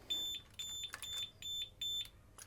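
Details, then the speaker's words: Triumph Rocket 3 motorcycle with intermittent electrical faults: sharp high-pitched beeps about twice a second as ignition switches on, add-on alarm triggering; intermittent 12-volt supply at ignition pin found as the fault. "I think I've had an epiphany. I'm just going to turn the ignition on, the alarm might go off."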